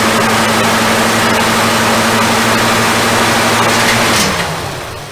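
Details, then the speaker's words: 1966 Dodge Coronet first start after sitting 20+ years: loud steady idle with a low drone for four seconds, then it stumbles and dies; leaking and smoking, carburetor needs work; rough running after long storage. "the crazy thing is it doesn't run half bad it definitely kicked a whole lot of crap out on me and dust and run crap uh the carb needs some work huh"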